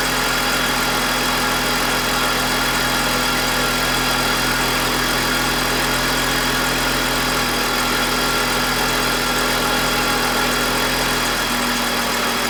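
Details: BMW E46 with M52TUB25 engine at idle, VANOS disconnected while testing a suspected VANOS grinding noise (worse at startup): smooth, steady hum with no grinding, rumble or speed dip, a normal idle.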